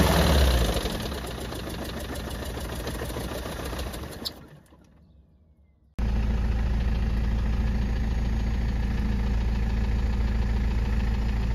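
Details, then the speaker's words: BMW E90 with M47 diesel after fitting a custom cone air intake: rough running with a heavy regular knock about four per second, stalling and restarting, like running on 3 cylinders with an odd injection cut. Sounded like a rod knock but later found not a rod. "Enfin, même ça claquait comme une bielle en fait. Donc, c'était même pas une question de tourner sur 3 cylindres. Ça faisait un bruit de bielle, tout simplement."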